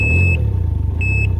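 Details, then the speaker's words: Can-Am Ryker 900 trike at idle: two high, clear beeps over the engine rumble, its warning that the handbrake is still on when throttle is applied. It also beeps when put in reverse. "because the handbrake is still on the bike also makes that beeping sound when you put the bike in Reverse"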